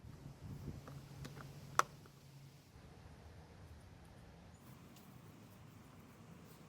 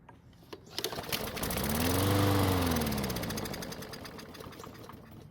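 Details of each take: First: Old Craftsman mower that ran last year but would not start after winter storage, after servicing, priming and refitting the air filter: quiet until the engine catches, then a steady, even buzz without surging or misses; normal running. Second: Craftsman lawn mower that ran last year but would not start after winter storage, primed by squirting fuel: fires, briefly revs, then fades and stops; suspected clogged main fuel jet in the carburettor.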